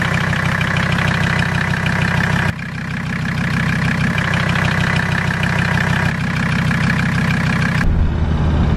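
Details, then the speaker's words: Mercedes diesel just after Seafoam overdose (about 24 oz in fuel, 8 oz in crankcase oil) on start-up: uneven, loping idle clatter with sharp valve tapping; started a little rough. "she started a little rough"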